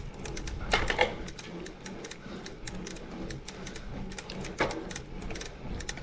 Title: Torturous Clicking Sound